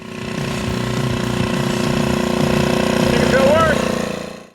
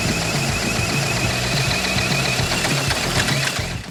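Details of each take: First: 1981 Honda ATC 110 three-wheeler, revived from a seized engine, smoking less after running a few minutes: small single buzzes at a steady, fairly even pitch, then fades off; healthy, nothing rattling or missing. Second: 1981 Honda ATC 110 three-wheeler, formerly seized engine freed and carburetor ultrasonically cleaned: uneven popping bursts a few times a second that catch and die away; the single cylinder nearly starts.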